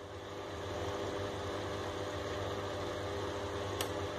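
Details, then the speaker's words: Drean washing machine with error 6, after fault found and fixed; steady motor hum with relay click as the motor turns one way then reverses; motor reversing normally. "activó el otro y ahí está girando en el otro sentido señores"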